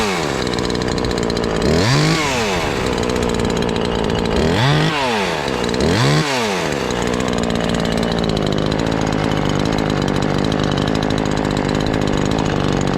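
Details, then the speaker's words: Ported Husqvarna 543XP chainsaw, cover off: screams to a high even pitch, dips slightly in the wood and holds about 9,500 rpm in the cut; tune about right, clean healthy run. "Now we're getting there. That's about where we want it on the tune."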